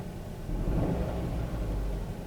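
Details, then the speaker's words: 2008 Kia Rio idling low and lumpy with an uneven stumble, flashing check engine light, loss of power and bucking; live data shows cylinder 3 misfire (P0300/P0301/P0303), a dead misfire, possibly false counts on cylinder 1. "definitely a dead misfire"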